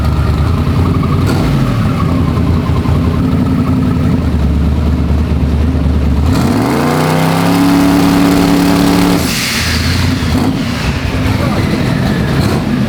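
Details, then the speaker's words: Freshly built turbocharged 421 small-block Chevy in an S-10, just started and not fully warm: lumpy V8 idle, then hard revs reaching about 6 psi boost in two seconds or less. Healthy engine. "I have never heard it come up on boost that fast and that rowdy. Oh yeah. 6 pounds in like 2 seconds or less."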